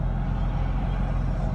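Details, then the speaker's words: Car (six spark plugs) with a rough idle and stalling at stops, after throttle position sensor replacement, stopped at a light while driving: steady even low rumble with no dips or hunting; normal idle now. "i like that idle speed that is good i like it"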